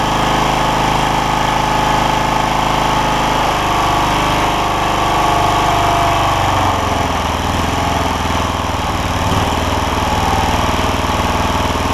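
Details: John Deere LX172 Kawasaki FC420V, after spark plug, ignition coil and igniter replacement for loud starting backfire; maybe a slightly burnt valve suspected: catches on choke, settles into steady even run with no exhaust pops or bangs; normal, no backfire.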